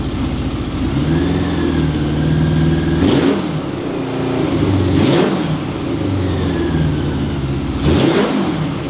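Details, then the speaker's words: 1981 Honda Goldwing Interstate 1100 after repair: a smooth idle with three quick throttle blips that rise cleanly and drop straight back. It revs up and returns faster than before the repair. Exhaust still needs work. "sounds great sounds good"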